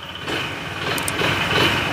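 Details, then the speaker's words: 9: Honda ADV160 scooter at 24,941 km that was using oil, not ridden since the noise began. A fast, chirping, cricket-like metallic tap rides over the idle; the mechanic says it is not the tensioner. Connecting rod knock. "Kaya patayin na natin kasi simula nung narinig yung tunog na yan ni sir, hindi na ginamit yung motor. Kapag ganyan ang problema ay matik, connecting rod."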